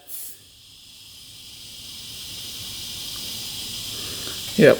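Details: 1995 Honda CR250 two-stroke with a persistent bog, engine pressurised for a leakdown test: steady airy hiss of compressed air escaping at the power valve cap area.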